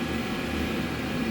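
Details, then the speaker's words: 5 kW 12 V diesel heater, house install test, burning an older vegetable oil and diesel mix, intake drawing unfiltered air indoors, exhaust through the wall with a silencer: steady even roar with a rushing airflow hiss; runs normally, the intake is just loud. "When I stick an air filter on that, it'll change noise wise."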